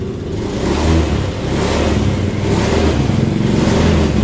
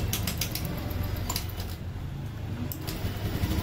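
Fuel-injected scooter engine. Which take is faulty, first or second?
second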